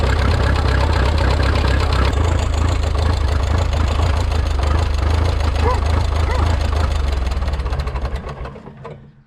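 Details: Rebuilt Minneapolis Moline 335 tractor engine, warm (gauge about 140°): uneven, lumpy firing around three beats a second with a loping rhythm, then dies away; sounds like misfire from too-retarded ignition timing.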